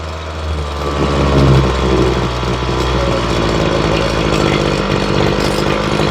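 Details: Ryobi two-stroke weed eater after carb and fuel line replacement, during low-side carburetor tuning: a steady, even idle with a low throb and no hunting or stumbling, now running smoother. Normal idle.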